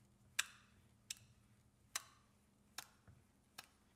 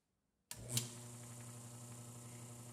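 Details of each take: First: 1934 electric motor for a die filer, cover off: sharp slapping ticks about every 0.7 s over faint motor hum; the yoke slams into an overfilled pool of too-light steam engine bearing oil, causing cavitation and foaming. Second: 1934 electric motor driving an oil-bath gearbox for a die filer, after refilling with less of a heavier non-detergent oil; estimated around 800 RPM. Quiet, steady low hum with an even tone and no ticking, now running smoothly.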